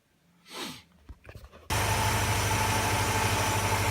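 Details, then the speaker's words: Mercedes M111 engine, nearly 400,000 km, whose hydraulic lifters ticked after an oil change with flush. After repairing the oil pump and pickup and cleaning the sump, it catches and settles into an even, steady idle with no top-end ticking. Fixed. "запустил компенсаторы не стучат"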